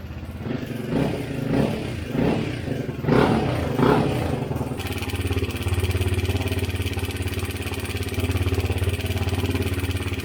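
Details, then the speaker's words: 2017 Honda CRF250L before repair: a few throttle blips, then a steady idle with a light metallic rattle on top; cam chain and gears had a lot of play, cam chain tensioner replaced; cam chain tensioner rattle. "chain and gears had a lot of play in it. We're going to go ahead and install the new tensioner."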